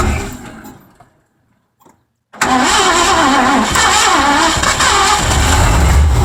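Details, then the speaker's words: 1984 Mazda RX-7 with swapped Ford V8, just started after advancing ignition timing: engine catches into an uneven, lumpy run with wavering speed; badly out of tune. "Holy crap, it runs. Wow, getting somewhere. Day 3 here, it'll actually run and idle a bit now at 1500 to 1000 RPM or so if I keep my foot on the throttle."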